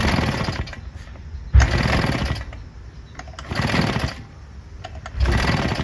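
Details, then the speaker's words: Husqvarna 150BT two-stroke backpack leaf blower after the plug-hole oil burned off: four one-second pull-start bursts crank without catching; not enough compression to ignite the fuel, engine likely ruined. "put it to run it kind of wants to but because of the lack of compression in there just not enough uh compression for it to ignite the gas in the chamber"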